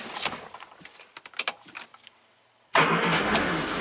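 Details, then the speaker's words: 1967 Triumph GT6 at 12.7 V battery during charging system checks: a few light clicks, then the engine catches at once on a key bump and settles into a steady, even run; normal start. "It'll just start up with a bump of a key, I'm sure."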